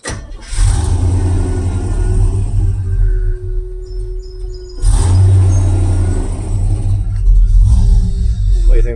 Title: C10 Won't Start After We Blew It Up!!! #car #classic #americanv8 #truck #chevy #c10 #damage #trucks